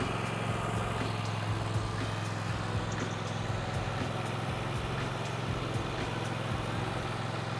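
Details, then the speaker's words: Husqvarna GT 54CS garden tractor that wouldn't start: after a new Kohler 7000 Series starter was fitted, it started right up with brake on and choke up, then ran with a steady low drone and even firing beat, no misses or knocks; the fault was just the starter. "Well, there you go. It's just a starter."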